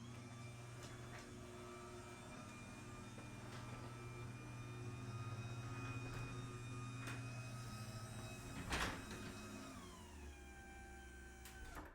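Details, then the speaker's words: New DC belt-driven garage door opener replacing an old chain-driven AC unit, with nylon sealed-bearing rollers installed and lubed. Low, smooth, even motor hum as the door travels and winds down, with no chain slap. About 55 dB peaking near 60, versus 70 dB for the old opener. "I think the video does a really good job showing the difference the absolute night and day difference between the old chain opener and the new belt driven opener"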